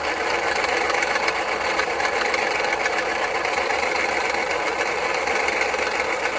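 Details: 2010 Jeep Patriot Sport 2.0 idling: fast uneven metallic clanking, roughly four a second, from the belt-driven accessories; new power steering pump, pulleys, tensioner and belt didn't help, and the alternator tested good, but replacing it stopped the noise.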